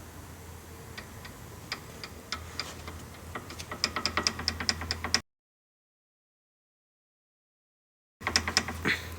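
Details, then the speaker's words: Loose, worn sway bar link rocked by hand gives sharp metallic clicks in quickening bursts; the control arm bushings also show play. "el otro ruido que tiene es aquí en los tornillos estabilizadores"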